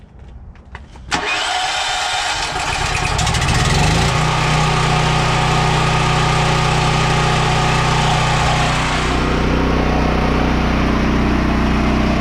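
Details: Surging generator after several fixes and refitting the carburetor, choke on: pull-start, then steady even run with no hunting or surging in speed.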